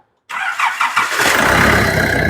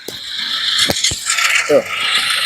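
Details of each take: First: Nissan Navara D40 YD25 diesel after turbo replacement: a few quick cranks, catches at once and settles into a steady run with no metallic zing; some residual white smoke from the old turbo expected. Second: Nissan Navara D40 YD25 diesel, also emitting white smoke: harsh, rough helicopter-like whirring rasp over the running engine from the turbocharger blades striking the metal housing.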